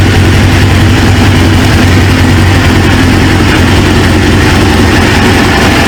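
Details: 1999 Suzuki GSX-R 750, newly installed used engine, restarted after reseating a pinched fuel quick-connect O-ring: steady even low idle, smooth unbroken pulse, no knocks or misses; idling cleanly, owner then suspects an injector O-ring leak.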